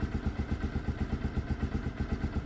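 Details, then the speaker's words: Single-cylinder cold start on choke: steady quick low thumping at fast choke idle, even and unbroken, no misses; started with no issues. "So no issues with starting there. Choke is on. In a minute choke will go off."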